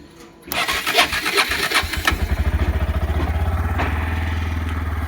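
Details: NA160 motorcycle on start-up: starter cranks, engine catches and settles into an even idle with a rapid pulsing tick, an abnormal noise whose cause the owner does not know.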